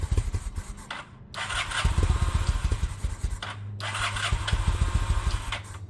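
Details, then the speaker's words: 2000 Honda Shadow ACE 750 V-twin: lumpy, stumbling idle, uneven firing pulses sagging and nearly dying; fuel issue, not spark, suspected gummed carbs. "Okay, so we got it running, um but you can hear that she's barely hanging on. Uh this is not a spark issue, this is a fuel issue."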